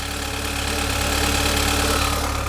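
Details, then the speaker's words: Saab 9-3 Convertible, apparently with an oil leak, just started: steady droning idle with a faint knocky undertone; odd noise of unclear cause that soon stopped by itself. "And yeah, what is this noise? I don't like that noise."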